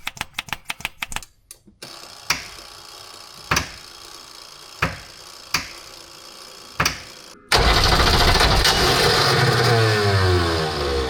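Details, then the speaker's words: Unimog 404 with rebuilt OM617.912 diesel and rebuilt fuel pump, long unrun, on weak batteries. Slow, labouring crank with compression strokes about a second apart, then harsh churning that never settles into a run. "that sounded that it is going to do something. So let's pump some more diesel."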